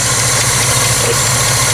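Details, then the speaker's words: 1972 Chevy C20 revived after sitting 19 years, at idle: a fast light ticking follows engine speed. The owner suspects an exhaust manifold leak, but also hears a real light, possibly internal knock. It sounds pretty good overall; cause uncertain. "kind of a picking noise that makes me think it's an exhaust leak on the manifold but there's also a little bit of a i don't know how to explain it like a real light knock but not really a knock it sounds internal"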